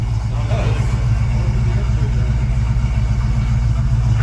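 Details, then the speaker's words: Ford Mustang Mach 1 after replacing the overlong vacuum-advance screw that shorted out when warm: steady, even low rumble with no misses or hunting, idling smoothly, night-and-day better. "sounds really good all right we're gonna try it out now with the vacuum advance it wasn't working before it already sounds way better night and day different"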